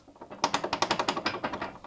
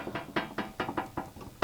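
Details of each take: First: Garage door roller spinning without its worn sleeve, after two years: sharp metallic clicking about ten a second; fitting a new roller sleeve leaves it very muffled. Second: Garage door nylon roller fitted with a brand-new roller sleeve, replacing a 2-year-old one, turns quietly with soft, dull, very muffled clicks at about four to five a second.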